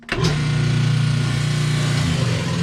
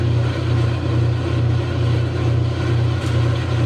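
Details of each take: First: see this isn't spinning at all now this is a no spin situation Second: Kenmore 90 Series top-load agitator washer that would not spin: a steady low hum with a smooth swell about twice a second. Drum now spins normally after cycling the control knob; cause unknown.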